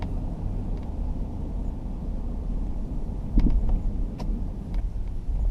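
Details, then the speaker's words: 2004 Jeep Grand Cherokee at 25–35 mph over small bumps: low road rumble with sharp rattles as load comes off, from the driver-side upper front shock bushing. Heard before replacement with Energy Suspension bushings. Worn front shock bushing rattle. "But yeah, over these little bumps, little rattles, 25, 35 miles an hour. Right there, you hear it there."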